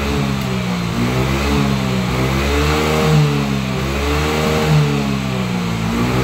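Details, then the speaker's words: Yamaha Mio J scooter just reassembled after engine repair, blipped on the stand: revs rise and fall smoothly, pitch climbs cleanly, no rattle or misfire; normal revving. "Nah, teman-teman, dengarkan perbedaan tenaganya, dan putaran roda juga menunjukkan bahwa motor ini berjalan sangat mulus."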